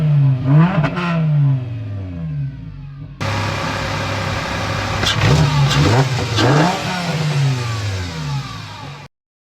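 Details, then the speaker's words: VW Mk6 Jetta 2.5L five-cylinder after fresh engine and 02Q six-speed swap, warm after idling overnight and morning: several quick throttle blips rise and fall cleanly and settle to steady idle; engine revs freely, sounds healthy. "I've let it idle a while now between last night and this morning, so I feel comfortable now. I'm going to give a little rev, but"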